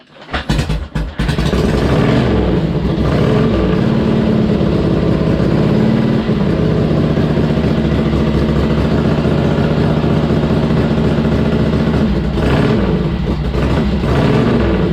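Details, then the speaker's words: Harley-Davidson Ironhead V-twin, cold, first start after pushrod adjustment and spark plugs refitted; takes a few kicks, then catches and settles into steady lumpy idle with no ticking or knocking: normal running. "took a few kicks, but she was cold. She sounds good."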